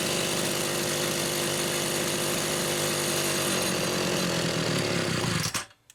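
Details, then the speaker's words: Rebuilt Homelite Super XL SDC carburetor test-run on a known-good test saw with a Phelon electronic coil: held at full throttle with a burbly, uneven buzz instead of a clean scream, then shut off; rich on the high-speed side. "But anyway, it runs good. So I'm comfortable in using it as a test unit for a carburetor like this. Definitely rich on the high side."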